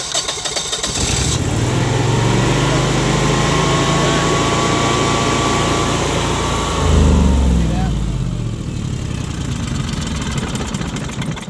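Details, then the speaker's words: Generac 22K Guardian air-cooled propane standby generator with an LP regulator fault: cranks, catches, runs briefly, then sags and dies as fuel pressure drops, setting a fault code; fuel starvation stall. "And so you can see the correlation between the fuel pressure dropping and the machine dying. It's clearly a fuel supply problem."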